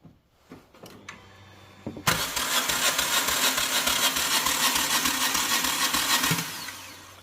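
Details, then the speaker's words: 2008 Hyundai Tucson towed in as a no-start: the starter spins the engine fast and evenly for about four seconds but it never fires despite spark and fuel prime; the timing belt was broken. "all right so there you go you can see that it won't start so to me first thing when I heard that sound that's not a good sound"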